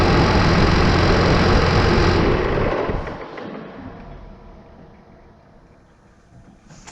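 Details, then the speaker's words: New Holland T8020 tractor, Cummins 8.3 L diesel, first start after installing new Bosch injectors: even regular idle beat about four pulses a second, smooth, no miss; not yet tested under load. "it starts so that's a good sign now we'll just have to try it out under load"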